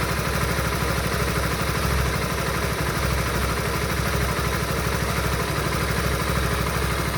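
Steady idle with an uneven, clattery pulse about three beats a second under the exhaust note; something sounds off, cause unclear.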